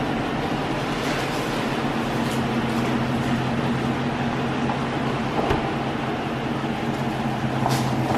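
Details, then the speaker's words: Dodge Challenger R/T after engine swap, running: rough uneven idle with irregular stumble and faint front knock; misfire persisted despite two new plugs and coil pack/injector from old engine, worsening; suspected loose cam bearing at engine front. "we started the engine it sounded like it was pumping up good it had a misfire right off the bat"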